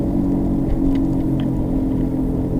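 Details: 2007 Subaru Legacy front wheel bearing, installed the previous November, heard on a road drive: steady low hum under road noise that changes when the wheel is jerked left, pointing to the inner half of the wheel bearing.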